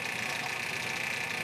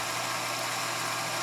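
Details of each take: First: Grizzly G0765 7x14 mini lathe, first test run after rebuild: motor whirring with fast, light clicking from a damaged drive belt and an ill-fitting new motor pulley running off-center. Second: Grizzly G0765 7x14 mini lathe after motor pulley replacement, steel headstock gears and tapered roller spindle bearings, at about 825 RPM under lead-screw power feed at 0.020–0.025 in depth of cut: steady high motor hum, no bogging or chatter; normal cutting under load.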